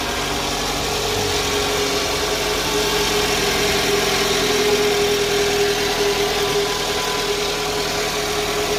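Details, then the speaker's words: 2011 Toyota Alphard Gen 2 after balance shaft and alternator pulley service, previously roaring harshly at start: push-button start, now idles with a smooth, even hum and a light steady tone, no rough shake or knock. Normal idle. "Sudah terdengar halus, jauh lebih halus daripada yang sebelumnya."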